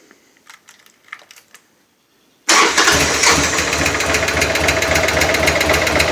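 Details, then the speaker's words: 2000 M2 Cyclone engine after stator replacement and shifter adjustment, oil a little low: starts and settles to fast idle with rapid ticking knock about 220 per minute; owner suspects sticky/stuck lifter, not confirmed. "Must have like a stuck lifter or something."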